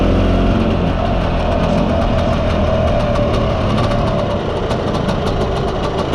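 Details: Mostly original Spanish Lambretta Jet 200 (Serveta) two-stroke on test ride after carb slide cutaway changed from 1.2 to 2.2; steady, even buzz, no hesitation or spitting; mid-range spluttering cleared, runs silky smooth.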